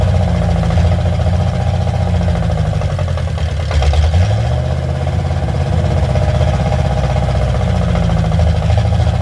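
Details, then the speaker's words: Carbureted car, loud from a Y-pipe-only exhaust: a deep, uneven idle held at high revs, barely running. It needs the idle turned way up to keep going, and the choke-side idle mixture screw does nothing; owner blames the carburetor and plans a Holley. "This thing doesn't want to run very good until the idle gets way up on it, which reminds me I got to go grab a screwdriver."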